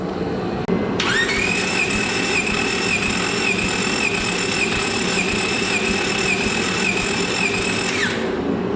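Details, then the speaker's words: Honda Civic EK D-series engine, compression test at full throttle before first start: steady starter whine with even rhythmic cranking pulses, no skipped beats; all cylinders about 120–125 psi, consistent compression. "but what I could tell all the cylinders are like 120 PSI around 120 to 125 psi all the way across"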